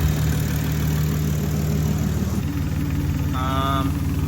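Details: Big-turbo Supra (6466 Precision turbo, custom fuel system) after fuel-system revision: deep, even idle rumble holds steady with only a brief high chirp near the end; normal idle.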